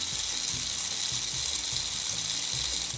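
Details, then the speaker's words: Marx tinplate toy train locomotive from eBay lot, motor run on bench power: fast ratcheting tick about twice a second over a thin high whir; running rough, brushes suspected seized in their tunnels, not yet checked. "I can almost assure you that the uh that the uh brushes are probably seized in those little brush tunnels"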